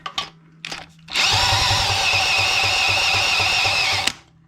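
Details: 1985 Honda ATC200X, not run in a long time, before engine swap: about three seconds of steady starter whir with even compression pulses, no knocks or scrapes; turns over healthy.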